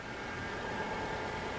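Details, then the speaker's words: 1999 Toyota 4Runner with rough idle and check engine light: steady idle with a slightly uneven, lumpy low rumble, engine still misfiring at idle during diagnosis. "yeah that's why I was waiting so at least it is still misfiring so we can proceed with some different tests"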